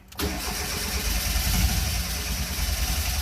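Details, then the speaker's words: Fiat X1/9 Bertone with an advanced aftermarket cam gear, possibly flooded, cranked with the pedal floored: steady starter rhythm about 3.5 beats a second with near-catches that never take. "So badly wants to start. dry fouled or whatever they call that."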